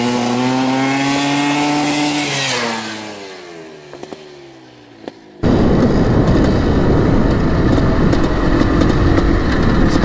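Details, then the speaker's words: 1984 Yamaha YZ 490 two-stroke dirt bike, warmed up, first test ride after an initial bog: revs climb and fall cleanly, then it pulls hard with a crisp rising crackle as the engine clears out under throttle. "oh it's bleeding out now baby holy cow I think it's fast"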